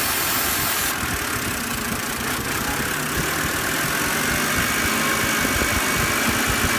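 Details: BMW after cleaning the throttle actuator, which fixed its rough idle and stalling at stops: a steady, even idle with the fan whirring, no stumble or hunting.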